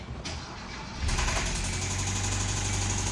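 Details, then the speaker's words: 2015 Kia Soul 1.6L GDI with 124,000 miles and a check engine light, started on a battery charger: catches and settles into a rough idle with a low, deep knock about four per second from the lower engine. Rod knock, rod bearing and piston failure. "this particular vehicle is still running but it's making a very loud knocking and tapping noise coming from the lower engine"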